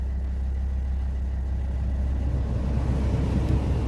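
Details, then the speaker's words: Volvo XC60 heater blower after climate control module replacement fixed slow-spinning blower motor: steady, even low rumble at high speed with no rattle, squeal or surging; normal blower operation. "as you might hear that the p is operating at high speed and very very nicely"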